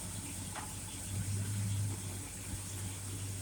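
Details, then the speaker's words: Mopar car, rebuilt Federal-style power steering pump after refill and bleeding; engine idles evenly as the wheel turns side to side, no whine or squeal from the pump. Normal power steering operation. "don't hear no screaming and whining when I turn the wheel"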